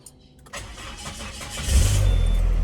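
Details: 2001 Peugeot 406 automatic at about 500 km into a trip, fuel down to a quarter: brief starter whir, then it fires cleanly into a smooth, steady idle with no knocks or misses. Normal start and idle.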